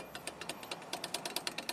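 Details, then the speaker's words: Chery QQ brake caliper with play, rocked by hand: quick, sharp metallic clicks about eight a second, a knock felt in the steering wheel, more likely with non-original pads lacking the metal shim. "aqui ó ó e faz um barulho enorme é por quê que acontece geralmente é mais fácil dar esse barulho quando você não usa a pastilha original"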